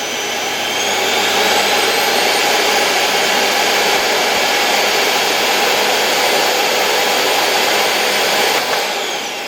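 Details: Original noisy motor from an LG V-3340D vacuum cleaner, run bare on a bench supply at increased voltage: loud, harsh high-pitched roar that is rough and hissy rather than a clean whine; owner suspects a damaged bearing, unconfirmed.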